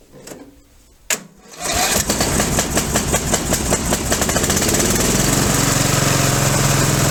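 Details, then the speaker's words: Craftsman 13hp mower, Briggs and Stratton engine, 42in cut, on a battery just charged, run a few seconds; loud, rough thumping with heavy shaking, everything coming loose; owner can't tell if a rod is gone; loud running with heavy vibration. "I don't know if you noticed it when it first started how much it shook and how loud it was everything's coming loose on this motor"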